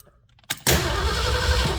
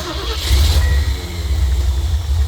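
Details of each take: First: 1974 Ford van with a new fuel pump and rebuilt carburetor, sat 30 days: the starter cranks at a steady, even beat but the engine never catches, because the carburetor is dry and has no fuel. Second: 1974 Ford van after sitting 30 days, with replaced fuel pump and rebuilt carburetor, starting once gas reached the carb after pumping and cranking: catches into a steady, deep, even idle, no knocks or misses; normal start.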